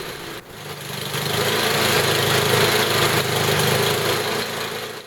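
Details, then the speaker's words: Tecumseh HM80 8 hp small engine, fully warm, during carburetor tuning. High-speed mixture screw being turned (left richer, right leaner). Running evens out then worsens, a slightly ragged beat swelling and sagging: uneven running from incorrect carburetor mixture. "now here I'm setting the high-speed adjustment first you can hear it even out and then get worse as I turn the screw"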